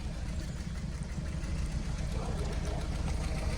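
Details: Toyota Scion tC engine first run after head gasket replacement, stripped head bolt repair, new starter and radiator; deep, even rumble swelling when revved with no knocking or ticking, though blowing smoke at first: normal revving.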